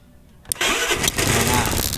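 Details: Honda Vario/Beat scooter after starter circuit jumper check with a new bendix: sharp starter catch, then the engine fires at once and settles into a steady idle, a clean healthy start.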